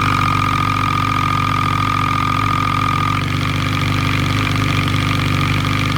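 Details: Suzuki B-King motorcycle at idle: fast metallic ticking clatter, not valvetrain; loosened clutch basket bolts were striking the crankcase, fixed by retightening with threadlocker.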